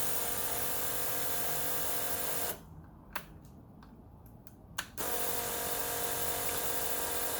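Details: 1991 Kawasaki ZXR750 turbo build: steady high buzzing whir of the fuel pump drops out for a couple of seconds and returns just as even. Pump works normally, fuel pressure tested at 52 psi.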